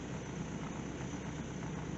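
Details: Truck with 268,384 miles, sitting roughly 6–11 years, engine called junk by the owner: a quiet, steady low idle with no knocks or misses as it warms up, at 50 psi oil pressure, 120 degrees, 14 volts. It sounds healthy.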